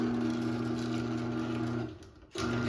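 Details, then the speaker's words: 2001 Chamberlain 7320 1/2HP chain-drive opener on a Craftsman rail and chain: a steady motor hum and chain whir cut out when the safety sensors are obstructed during closing, then the drive reverses and goes back up; the light blinks 10 times. "it stops and goes back up, and the light blinks 10 times."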